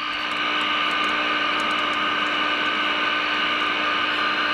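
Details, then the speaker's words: GE radio converted into an AM transmitter: a steady, pure test tone around 300 Hz at 30% modulation rings through the speaker over hiss, loudest as the second IF is peaked. "May have turned up a hair more. Hear the sound over the radio. So there's one."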